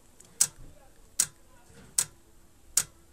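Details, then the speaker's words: Cassette deck mechanism with sharp clicks about every 0.8 seconds as the solenoid keeps trying to reset the head position and never finishes its cycle; fixed once the motor got new wires. "hear the clicking noise it's the solenoid trying to reset the heads position"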